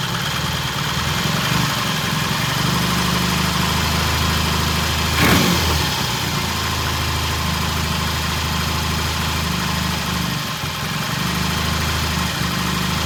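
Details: 1968 T100 vintage British twin with a new battery, after throttle cable slack adjustment: ticks over at a steady, even idle for a good stretch with no misses or hunting. Timing exactly on, mixture good. Normal idle.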